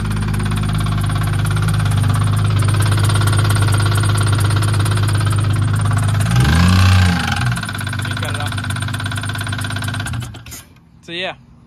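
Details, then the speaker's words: 2008 Acura TL Type-S at idle after driving through a puddle and ingesting water: deep, steady knock about three per second keeping time with the engine; bottom-end knock, owner suspects a washed-out bearing, not spark knock. "I thought it was going to be a spark knock but um it sounds like it's in the bottom and it sounds like it washed a baron out"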